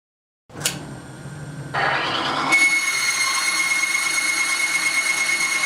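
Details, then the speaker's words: Timken bearing test with competing lubricant: dry-running bearing gives a high piercing screech stepping up to a steady shrill tone, smoking within 3 seconds and failing within 5; bearing failure from lubricant breakdown. "all of these competing products failed to protect against friction and heat and cause severe damage to the bearing"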